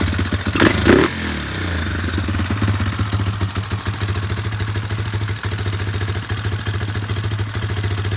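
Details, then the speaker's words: Yamaha Warrior number 4 single-cylinder after valve adjustment, about 1–1.5 hours on rebuilt motor: brief clatter at start then thumping idle with a light fast tick; slight valve tick remains. "She sounds better. Still a little tick, but you know, it's what it is."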